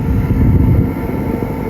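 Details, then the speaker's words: 2022 Forest River No Boundaries NB19.5 travel trailer, heard outside at the furnace exhaust vent with the heat running inside: steady low rushing rumble and even hiss, no surging or popping. Normal furnace exhaust flow; the vent gets very hot. "and you can hear it pushing out so that means this turns very very hot"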